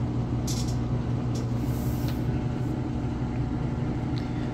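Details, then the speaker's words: Samsung king-size top-load washer with a heavy load of towels at full high-speed spin: a steady low hum with no thumping, slight drain-hose vibration and hardly any machine vibration. The load is balanced and the spin is normal. "it is moving super fast once it's done here I'm going to lift the lid up and show you how light those clothes are but hardly any vibration to it at all"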